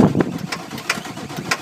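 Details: 1995 Ford F-250 7.3L Powerstroke diesel hard start: slow, uneven cranking on ether with half throttle and charger on weak batteries, never fires; owner suspects failed glow plug relay.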